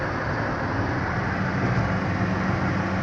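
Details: Car at highway speed above 80–85 km/h: heavy road roar with a steady low drone that rises with speed; traced by mechanic to a cut/damaged part in the trunk area.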